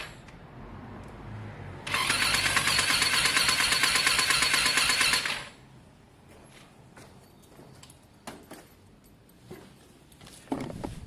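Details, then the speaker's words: Lexmoto Diablo 125, oil and battery topped up: the starter spins the engine with an even churn for about three seconds but it never fires. Owner suspects wrongly adjusted valves; a later spark test showed spark is present. Crank-no-start. "nothing else that should stop this bike from firing unless the valves have been adjusted incorrectly and it strongly looks like they are"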